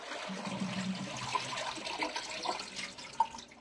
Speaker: so now you know that that noise is the sound of air traveling up the pipe to stop the flush